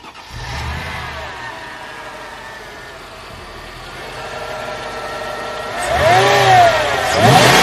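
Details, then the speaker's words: Mercedes CLK55 W209 V8, stock: catches and settles into a quiet, smooth idle, then blips up cleanly with no knocks or ticks; sounds healthy. "As you can see, the car runs like pretty well. It probably get a little tune-up and stuff like that, but it's super stock, very quiet."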